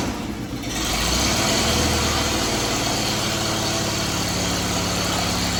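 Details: Engine of a 1956 Air tractor, restarted during a revival after decades of sitting: rough for the first second, then a steady, even idle with no knocks or misses; coolant is circulating, so the water pump is working.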